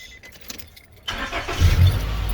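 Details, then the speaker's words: Honda Accord beater after fuel pump replacement, first start attempt: brief crank, catches straight away and settles into steady low idle; clean, quick normal start. "so we're gonna try to fire it over make sure it starts everything's running"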